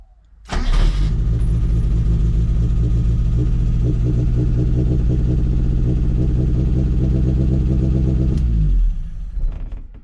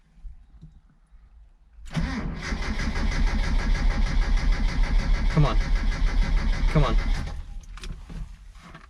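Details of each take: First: 1977 Mitsubishi Sigma Lancer, first start after fixing a loose earth inside the distributor: catches within half a second and settles into a smooth, even idle with no misses or knocks until switched off; normal idle. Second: 1977 Mitsubishi Sigma Lancer, first start after front-end reassembly: starter cranks steadily about three turns a second for a few seconds but the engine never catches; hard start.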